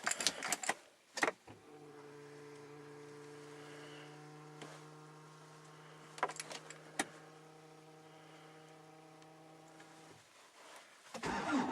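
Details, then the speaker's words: Hyundai Santa Fe I 2.0 CRDi diesel that won't start, battery possibly weak: ignition-on steady low hum from in-tank fuel pump labouring heavily for several seconds, engine not running. "Tak ciężko, strasznie ciężko pracuje pompa. Także niestety muszę się do niej dostać."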